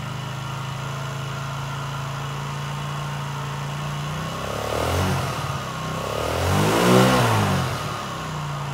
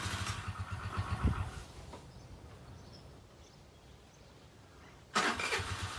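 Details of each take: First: Chinese 50cc Geely two-stroke scooter, revived after sitting: settles into an even, steady idle and takes two clean throttle blips; normal idle. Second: Chinese Geely 50cc two-stroke scooter that sat unused, carburetor just cleaned, fresh fuel: sputters and catches unevenly for a couple of seconds, dies, then bursts back; hard start while fuel refills the carburetor.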